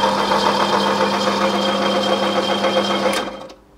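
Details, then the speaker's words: 1980s Opel Monza coupe, injected 3.0-litre straight six, barn find: starter turns engine steadily about four beats a second, never fires; no fuel pump heard, pump suspected dead. Crank no start, no fuel delivery. "no fuel no fuel in there but we haven't heard the fuel pump"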